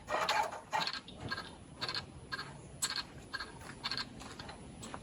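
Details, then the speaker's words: Chevrolet Silverado diesel truck, first start after new parts, glow plug module unprogrammed: sharp, unevenly spaced metallic bangs about twice a second with little rumble. Owner suspects the engine is cocked sideways on a broken mount and hitting a brace; unconfirmed. "However, that loud banging sound sounds like, it almost sounds metallic, like there's something, like the motor's cocked sideways."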